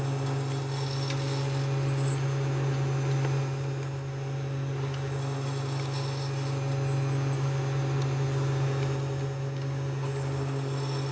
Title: Qidi I-Fast 3d printer making Squeaking noise when moving side to side